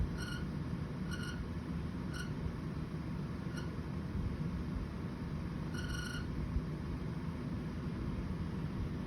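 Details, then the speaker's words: Air conditioner during an Arizona heat wave, with a noise that kept getting louder: a heavy, steady low rumble with a few faint chirps on top. Abnormal AC noise, much quieter on the recording than when it first started. "i'm not making up that noise and the clips that i got i wish i'd thought to start filming as soon as i heard it because the noise that it first started making was so much louder than what i managed to get on camera"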